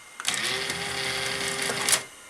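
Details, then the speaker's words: Sanyo VTC-MH5 NTSC Beta Hi-Fi VCR: clicks, then a thin steady whir of the cassette loading/lacing motors for about a second before a clunk. They run very fast; the owner suspects an overly high power-supply voltage line is overrunning them (unconfirmed). "that's very quick isn't it so I'm wondering if that is actually correct Behavior because if if the one of the voltage lines from the power supply is too high that might be overrunning those Motors and making them run very fast"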